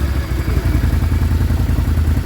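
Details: Can-Am Renegade 650 Rotax V-twin just after cold start: rapid hollow knocking about eight per second over the idle; cold piston slap that stops as warming reduces piston-to-wall clearance.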